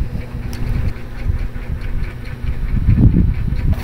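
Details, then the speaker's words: Honda XR150 motorcycle after replacing the faulty ignition switch that made it die while riding: small single-cylinder ticks over steadily at a low, even pulse with no stumbling or cutting out; normal healthy idle. "kita niyo yan hindi na nagpala yung ignition switch active na okay"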